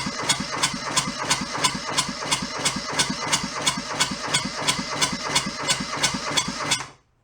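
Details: Junked small Kubota diesel from a scrapyard: steady starter cranking with even compression pulses about three per second, never catches, then stops. Cranks, no start; air in the fuel hose or a missing pre-pump suspected, not confirmed.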